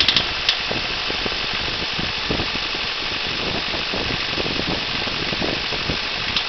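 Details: Honda Civic EM1 Si idling with a sharp knocking over a hissy, tinny running sound: rod knock from chewed-up big end bearings; owner wondered if the piston was tapping the spark plug; engine was replaced with a CR-V VTEC unit.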